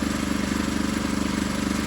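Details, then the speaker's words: Predator 212 idling with no chain during break-in: fast, even light tap on every beat as the torque converter taps on the housing. "That sound you hear, that's the torque converter."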